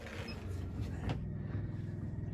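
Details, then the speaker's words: Newly replaced shower water drain pump under a 13-foot Scamp trailer, previously damaged by a rock strike, draining about a gallon of water: low, steady electric hum, no surging or rattle; pump running normally. "And yep, I got it on. And there it goes. I can hear it running."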